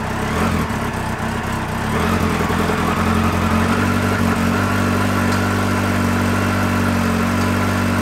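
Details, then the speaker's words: Yamaha XJR four-cylinder, after leak repairs with the studs re-torqued gently and evenly, carbs synced and idle adjusted: starts first touch, then a smooth, even idle with no puffing or ticking at the headers. The earlier noise is gone. "normalement démarre au quart de tour nickel il y a plus ce bruit donc il y a plus qu'à prier que ce soir il y ait pas de goutte d'huile par terre"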